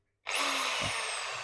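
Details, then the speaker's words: Bosch GSB 10 RE electric drill after repair, running clockwise: a sharp spin-up to a steady high motor whine with no sputter or grinding. Works normally. "Try pressing the switch to make it turn clockwise. First, we will see that it is already rotating in a clockwise direction."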